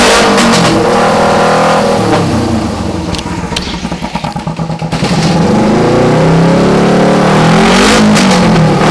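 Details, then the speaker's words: 2008 EX250 motorcycle chassis with a swapped-in EX500 engine on fabricated brackets. Twin revs up, dips and picks back up with an even exhaust beat, no knocking or tapping; normal running engine. "motor sounds good I don't really hear me knocking banging and tapping and going on in there so that's always nice to hear"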